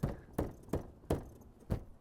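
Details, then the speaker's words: 2025 Alfa Romeo Stelvio Tributo Italiano with 14,000 miles, driving over bumps in soft suspension mode: sharp clunks with brief rattles; the owner suspects broken or ungreased gears in a non-serviceable box inside the tailgate, which still rattles despite soundproofing. "And the rattle is still, every time I hit a bump, you hear the gears and the rattling. I mean, I soundproofed this, but you can still hear it."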